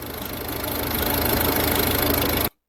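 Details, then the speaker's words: Rough idle with rapid, even knocking that cuts off sharply at engine shutdown; internal engine knock, cause suspected but not confirmed. "You hear that knocking? That means there's a little man inside trying to get out. And when he comes out, it's an expensive repair."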